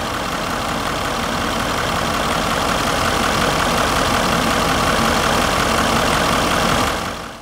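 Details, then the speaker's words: Range Rover L322 4.4 TDV8 diesel just restarted after inlet manifold EGR cleaning, belt squeal repair and service, warming up (coolant 72, oil 59): steady, even idle with smooth low rumble and no knocks or misses. "I'm going to mix up a little bit more coolant whilst that's sidling that's the sound of a pretty happy"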